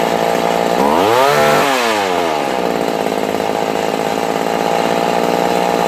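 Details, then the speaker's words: Vintage McCulloch Mac 110 two-stroke chainsaw (2.0 CID), restored after sitting in water at a dump. After idle adjustment it revs to a high steady scream, then holds an even buzzing run without missing: normal running. "Guys, yeah, my ears are fractured. It's loud."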